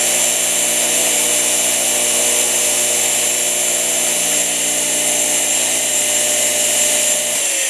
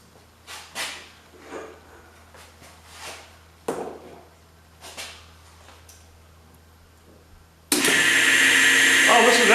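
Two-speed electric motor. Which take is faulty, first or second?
second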